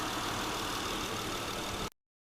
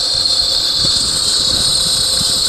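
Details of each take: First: 2008 Honda Odyssey 3.5L after replacing both serpentine belt tensioner and pulley bearing: brief steady idle with no squeak or chirp; squeaking noise fixed, normal idle. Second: 2008 Honda Odyssey 3.5L at idle: a steady high-pitched squeal rides over the engine and stops at shutoff; the owner is unsure whether it is a bearing or something else.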